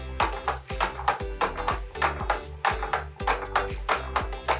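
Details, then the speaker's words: Homemade wooden escapement clock driven by a hanging rock weight on a chain of about 200 grams: regular tick-tock near a hundred beats a minute, quickening as the rock drops because the chain shifting sides changes driving force; clock speeding up. "Now, it is not perfect, as you can probably hear. It is starting to speed up as the rock drops."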